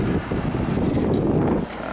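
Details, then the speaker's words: Early-1980s Emerson Quiet Kool 7400 BTU window air conditioner after cleaning: steady even air rush over a low hum with no rattles, blowing cold at about 50°; running normally. "I finished pretty much cleaning it and uh it's working pretty well blowing out nice and cold there"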